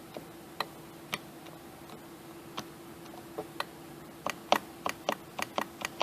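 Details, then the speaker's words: 2004 Honda Accord coupe, key on, driver power window not working: sharp uneven relay clicking with no motor whir; passenger window works, switch not suspected; regulator and motor replaced. "I got this 2004 Honda Accord in here coupe its power window doesn't work I don't have a wiring diagram on this thing so I'm just gonna kind of wing it I turn the key on and I can hear it clicking"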